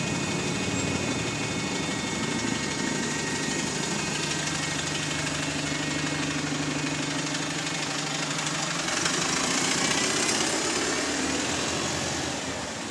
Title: High Idle RPM | SLN 36610 (Spot + 2)